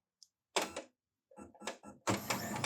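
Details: Brother DCP-1510 laser printer powering on with drum unit only during toner counter reset: a few clicks and short mechanical clatters, then steady motor run from about two seconds; normal startup.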